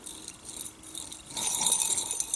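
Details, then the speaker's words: A hand-spun, worn ("knackered") light-press-fit shaft ball bearing, removed by hammering from a German machine just out of warranty, gives a gritty, high-pitched rattle that gets harsher as it spins up. "it took some hammering to get it off it nearly slipped fits but it doesn't quite and that bearing is knackered"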